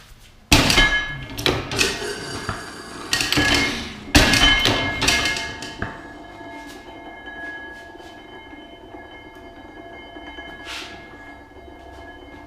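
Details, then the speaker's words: Full-size reproduction of the 1867 Otto & Langen free-piston gas engine at startup: seconds of heavy uneven clanks and thumps, then firing stops with faint ringing as the governor weights swing out and close the exhaust check valve; normal governor cycling. "reason it stops is because the governor came down, shut it. Yes, as the engine speeds up, the governor weights swing out."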